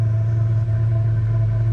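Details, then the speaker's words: 2 kW Chinese diesel heater in a 1997 Mazda Bongo Friendee after an E-07 code: deep steady low roar, no pump clicking, burning off excess fuel flooded in the chamber with the pump off. Owner suspects air in the line after disconnection. "there's so much fuel in there this is it burning away the excess fuel that's in that"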